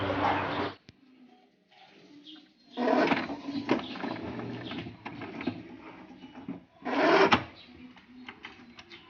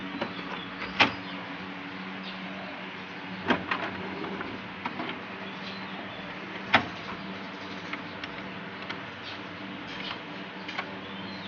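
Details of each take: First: HP Ink Advantage 3835 inkjet printer that works normally but makes loud rattling clatter on carriage passes, caused by a slipping carriage drive belt. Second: HP Ink Advantage 3835 printer after belt refit: steady mechanical hum and occasional clicks, carriage moves smoothly, belt no longer slipping; earlier it worked but was noisy.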